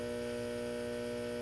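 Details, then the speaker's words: Late-1965 Epiphone EA-32RVT Comet tube guitar amp idling with volume and reverb knobs at 10 but reverb switched off: steady low buzzing hum, no playing, noise blamed on poor grounding layout (output-tube bias parts grounded at power transformer center tap). "but you can probably hear that there's some noise right there just at idle. I mean, granted, we're at 10 and we're at 10 on the reverb, but it's not on."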